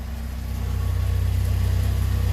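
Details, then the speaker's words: Alfa Romeo Spider heard from the exhaust side at idle after a tune-up (new cap, rotor, wires, plugs): even, rapid exhaust pulses that firm slightly, with no misses, knocks or ticks. Healthy running. "real good smooth running engine, no vibrations, no coughing or sputtering."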